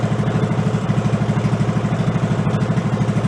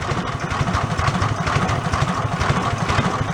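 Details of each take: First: Amusement-park go-kart with 16hp engine replacing a 5hp, stock air cleaner: slow, lumpy thumping with a clack each beat at very low idle; compression release engaging, raise the idle rpm. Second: Go-kart with its 5hp engine replaced by a 16hp single-cylinder engine, first start on a second battery; slow, even putter at low idle with no knocks or misses, running normally.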